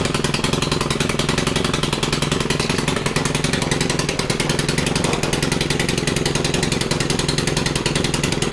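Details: Stihl FC 110 after fixing little-to-no compression, with freshly adjusted valves and oil in the cylinder that might foul the plug, held at full throttle: fast even beat of about three and a half pops a second, steady and strong; running properly.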